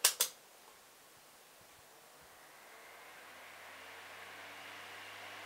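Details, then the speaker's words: Old Sanyo EF-C9 9-inch oscillating desk fan, oiled shaded-pole induction motor, turned sideways from the mic: after a click a high-pitched whine climbs smoothly as it spins up, a healthy startup. "And it has a really great startup sound. It's like a high-pitched wine when it starts up."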